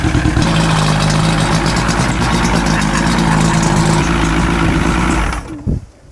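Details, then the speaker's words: Old fishing boat engine started after fuel line and water supply hooked up: steady, even low rumble at idle for about five seconds, then clean shutdown; no misses or knocks, running normally. "That sounds really good. Yeah, it did."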